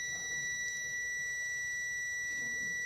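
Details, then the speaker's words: Samsung UA32EH4000 LED TV, dead with no power: multimeter continuity beep stays on with the probes in both directions on the rectifier diodes, so the diode is shorted. "dengarkan bunyi bipnya Apakah dia berhenti kalau gak berhenti berarti short ya di sini tidak berhenti coba dibalik saya balik lagi propnya ya bunyi bip tunggu beberapa detik Apakah dia hilang nah ini tidak hilang berarti korselet"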